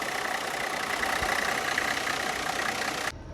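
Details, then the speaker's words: 1985 Cadillac Sedan DeVille, transverse 4.3L V6 diesel, rare car that runs and drives great, started up after an earlier cold start; even, steady diesel clatter at idle with no misses, hunting or heavy knocks, a normal healthy idle. "overall it runs and drives absolutely amazing but since you've seen the cold start let's actually start it up"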